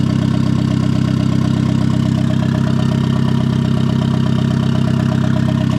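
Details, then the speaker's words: Turbo Miata on first start with a new hood dump pipe, fresh bearings, good AFR and oil pressure. Steady, even but noticeably fast idle with no hunting. The IAC valve was plugged back in but not set in the tune, so it leaks air. High idle. "It has a high idle right now. And the reason why is because I did plug the idle air controller back in, but I don't have it set up."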